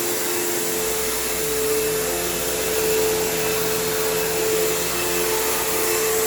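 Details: Kenmore PowerPath System vacuum on living-room carpet, just acquired: steady high motor roar with a slight pitch waver and a long wind-down. Tired motor; the brush roll needs work and the slack belt needs changing, so it needs a basic service.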